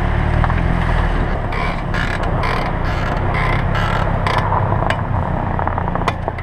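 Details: 2007 Pontiac Vibe/Toyota Matrix left front brake, only when braking: short scratchy creaks over road rumble; pads dry on bare pad holders, cured by greasing pads and holders (new pads, lathed rotors 3 months earlier).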